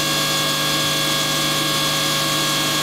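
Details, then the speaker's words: Aeromotive brushless fuel pump, voltage raised to about 13.5 V: a smooth, steady, high-pitched electric whine that rises in speed, with no rattle or surging. The internal controller manages pressure and volume, and the pump runs normally. "bring the voltage of about 13 and a half fold thirteen and a half you can hear the pump increase"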